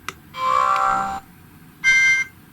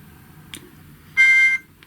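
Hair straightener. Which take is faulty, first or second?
second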